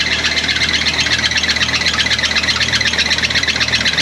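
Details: 1992 Isuzu pickup, believed 2.4-litre four-cylinder, first run after a melted pump, no fuel leaks, loose belt slapping: steady even idle with busy hissy top-end clatter, no misses or stumbles; normal idle.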